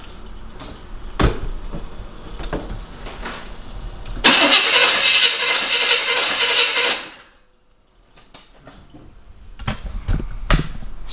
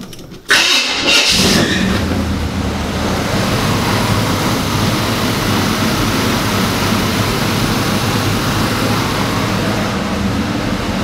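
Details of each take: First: 1975 Chevy K5 Blazer that sat 12-13 years, cranking with new plugs, wires and a new distributor: even starter churn but no start because there is no spark. Later traced to a distributor-to-cap wire that had fallen off its connector. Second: 1975 Chevy K5 Blazer that sat 12-13 years, first start: a brief crank, then the V8 fires at once into a steady, even rumble with no misfire. No spark was fixed by changing the distributor.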